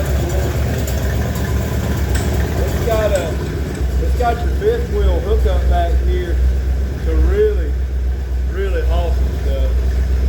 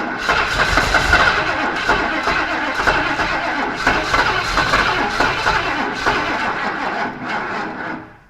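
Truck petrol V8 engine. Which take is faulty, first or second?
second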